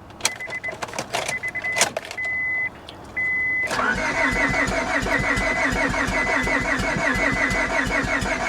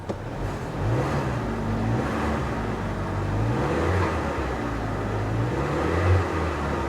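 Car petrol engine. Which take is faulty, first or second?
first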